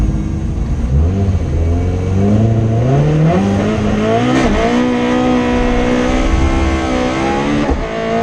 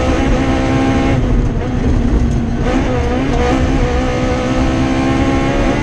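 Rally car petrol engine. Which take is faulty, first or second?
second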